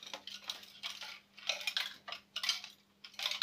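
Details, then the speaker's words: Loose object rattling inside the door panel of a DeLonghi ESAM04.110.S bean-to-cup coffee machine: bursts of light clinking as the door is shaken, something small moving around inside; door to be removed and cleaned to find it. "Et donc, du coup, ben, de toute façon, je vais nettoyer parce que c'est vraiment très très sale là. Donc, en même temps, je vais voir ce que c'est qui se balade là-dedans."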